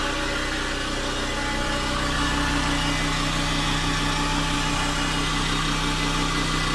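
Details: Honda Dio AF62 scooter engine idling deliberately with no oil, ahead of an overhaul: loud, rough idle with a rattly clatter at about three beats a second; sounds badly worn.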